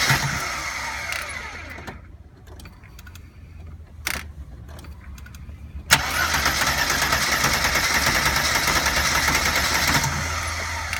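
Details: 1992 Mercedes 300E 2.6 (M103 engine) cranks in uneven bursts with quiet gaps, trying with the accelerator, but never catches; crank, no start.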